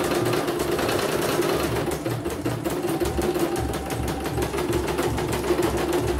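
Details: CNY embroidery machine (M21 label) sent in fully jammed with heavy rotation: quick, steady stitching with even rattle, no hesitation or knocking, normal.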